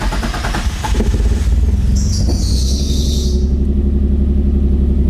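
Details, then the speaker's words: Nissan 350Z with a P0300 code after mixing JDM and USDM injectors: the engine fires up and settles into a slightly uneven, lumpy idle with occasional stumbles. The misfire persists and is not fixed; the cause remains unclear. "Hey guys, it's just not fixed. I don't know what's going on."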